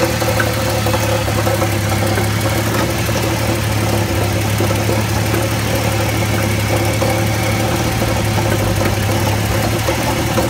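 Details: Jeep XJ 4.0 at idle: fine continuous rattly clatter over a constant low hum; source unknown, flex plate checked tight and apparently not cracked.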